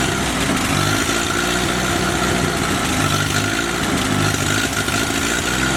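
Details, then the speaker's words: Rebuilt F-head engine, newly fitted carburetor adjusted, temperature holding 165°F and good oil pressure: fires right up and settles into a steady, even idle with no knocks or misses; timing close, not yet run under load. "Okay, it fires right up. Timing is close. Everything is very close."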